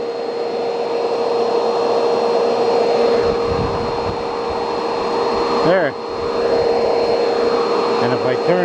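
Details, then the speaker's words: Bissell PowerForce Turbo canister vacuum, brush bar belt burnt off: steady even motor hum with constant high pitch while sucking grass into the canister, suction working normally. "it around there'll be grass inside the canister see it there so we know that that's working"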